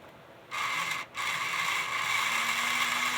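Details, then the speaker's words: Burlington GP20 model locomotive after cleaning and lubrication: smooth, steady high-pitched whir with no chirping or squeal, previously sounded like an angry chipmunk; runs evenly and healthy. "It's not chirping like a angry chipmunk anymore, is it?"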